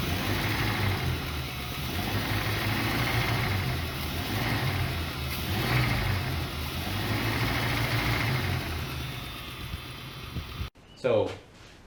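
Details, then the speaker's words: 1966 Ford Mustang 289 V8 that burned oil heavily, ran with no oil and black oil: tapping heard at the top of the engine and knocking at the oil pan while running; owner suspects a spun bearing. Engine is to be replaced with a 90s 302 roller motor. "So, I have a video that I took when I found it to send to him of the top here, you can hear some tapping and the bottom side uh of the pan where you can hear knocking while it's running."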